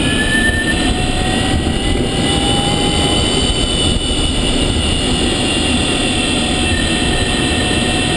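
Several steady high whines hold constant over road rumble while driving; the electric drive motor is making an abnormal whine.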